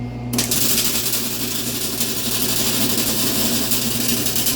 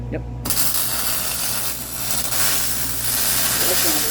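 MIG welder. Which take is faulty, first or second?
first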